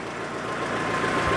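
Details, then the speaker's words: Citroën GSA on the dyno after the loose belt was tightened: steady even idle with no squeal or chirp; normal idle, belt noise not returning. "I'll just leave it running and see if the noise comes back I don't think it will I think you've got it"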